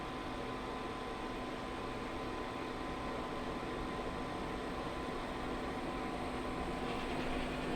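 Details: Pit Boss Competition Model pellet smoker after a new igniter install, temperature set to 225 degrees: combustion fan blows harder, steady rush with faint hum, with no error so far where it used to fault.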